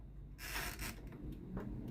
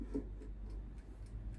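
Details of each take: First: Philips NA120 air fryer after repair of no-heat/no-fan fault: small fan spins up with a clean hum rising in pitch to speed, still running with food basket pulled out; fan now works normally, fault traced to basket switch. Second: Philips NA120 air fryer powered on and set to 200 °C with the timer running: only the timer's steady tick, no fan whir; a worn, cracked plastic basket switch actuator fails to reach the switch, so fan and heater don't run.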